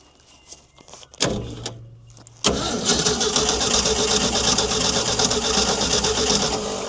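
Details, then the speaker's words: Ford D-Series petrol fire truck that sat 16 years: slow, rhythmic cranking at about 2.5 turns a second that never fires. Distributor cap corrosion was scraped off; fouled plugs are suspected but unconfirmed. "I don't know what else it can really be unless the plugs are failed up, but I can't imagine them all being like that. At least a couple would be trying to fire you would think"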